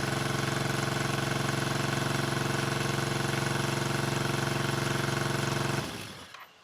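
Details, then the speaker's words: 1974 Honda CB350F that sat over 20 years, first run: lopsided idle with one pulse missing, then it dies. Running on three of four cylinders; owner suspects a carb float or pilot jet issue. "the carbs um running on three of four cylinders which is probably just either a float or a pilot jet issue"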